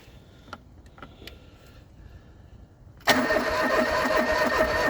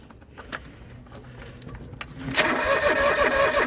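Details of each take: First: John Deere 445 fuel-injected garden tractor, parked about 8 years unstarted, cranking: about five seconds of even cranking, not even a pop. No start, out of fuel. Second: John Deere 445 garden tractor, parked about 8 years, cranking without fuel to build oil pressure: starter spins evenly at nearly three turns a second, oil light goes out while cranking. Normal healthy cranking.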